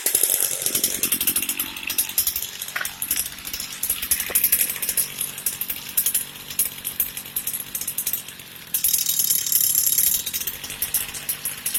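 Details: Cheap used Echo two-stroke string trimmer that wouldn't start, after reassembly: high, buzzy note that keeps running and picks up on throttle without dying; normal running.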